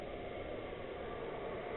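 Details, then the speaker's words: Chinese diesel heater, bench-tested before boat fitting, running hard at 4 bars; steady even rushing hum of air drawn into the intake, no knocks or rattles, not a mechanical noise; normal high-output operation. "I say that's noisy, but it's not like a mechanical noise."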